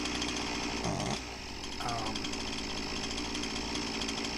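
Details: Husqvarna 346XP chainsaw with high idle and a chain that wouldn't stop turning: high, steady, screaming run with a hunting edge, sounding lean; air leak traced to loose cylinder base bolts.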